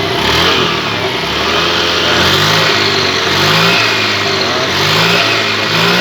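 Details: Honda Beat injection scooter after CVT work for a knocking noise, engine restarted: swells up and down through repeated blips, smooth rising and falling drone, no knock or rattle; normal revving.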